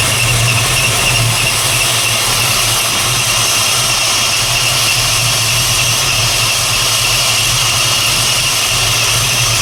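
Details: 1968 Plymouth Barracuda, ATK crate V8 with new ACES EFI distributor, first fire-up at idle: loud steady high belt squeal rides over the engine the whole time; owner suspects something loose, belt likely running off one pulley rib.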